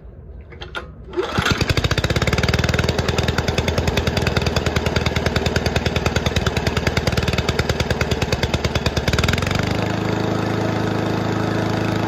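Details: Toro commercial 22295 mower with a Honda engine, sat all winter with old unburnable fuel in the carburetor. On full choke it catches after a few pulls and settles into a steady, even putt-putt; fixed, runs healthy.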